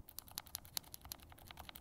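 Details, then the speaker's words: Glorious Lynx linear keyboard switch over-lubed with Krytox 205g0, pressed bare without keycaps: rapid presses with a faintly soft, wet edge, lube audibly making noise and feel slightly changed versus properly lubed switches. "like you can kind of hear the lube making noise in there you're not just hearing switch noises and it does feel a little bit different than the last one"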